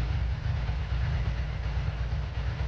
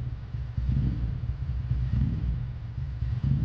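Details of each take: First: 2003 Ducati ST4S V-twin idling lumpily after a gear selector spring repair, with a loose clattering rattle from the worn-out dry clutch due for replacement. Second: 2003 Ducati ST4S V-twin with a previously rebuilt engine, warming up at idle after a gear-selector spring repair: low, lumpy, even rumble. The engine sounds healthy.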